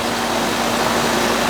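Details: Old Goodman AC condenser unit with a dirty filter, checked on a hot day, superheat now 19 versus 35 before; steady even fan whoosh with compressor hum, no knocks or rattles, running normally.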